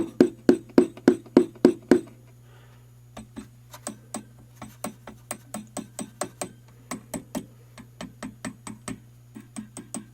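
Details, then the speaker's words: 1966 Gibson GA-15RVT Explorer tube amp on the bench with mains hum from bad power caps; tapping the 6BQ5 output tubes gives sharp ringing clanks and rattle through the speaker, microphonic/trashy output tubes needing replacement. "one especially sounds really trashy and this one actually does as well so we're probably gonna need some new output tubes almost guarantee it"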